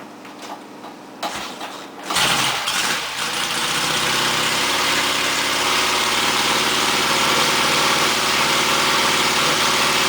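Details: 1959 AJS/Matchless G12/G15/45 twin in Rickman Metisse frame, freshly rebuilt, started with choke set: a few kicks, then it catches and settles into a steady, even idle with a crisp beat, no knocks; runs healthy.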